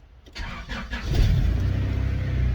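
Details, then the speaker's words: Car after new fuel pump and fuel pressure regulator, previously making weird pump noises when cranking: short crank, catches, settles into steady low idle, no odd whirring; normal start. "it didn't make the weird noise this time it fired it did what it was supposed to do"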